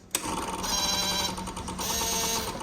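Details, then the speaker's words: 2004 Yamaha V-Max at ignition on: V-Boost servo motor gives two short high whirs a second apart as it sweeps and returns; V-Boost present and cycling normally. "can you hear that noise i do it again that's a little motor on the v boost moving when i turn the ignition on"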